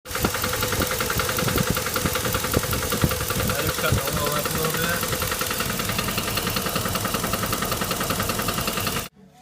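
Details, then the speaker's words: Chevrolet Tahoe V8 idling with a steady deep knock about three or four a second; teardown shows number six piston/rod banging, with a wear mark on the crankshaft; rod knock. "looking at here is uh should be number six piston quiet please and you can see on the top the bottom of that piston It's banging"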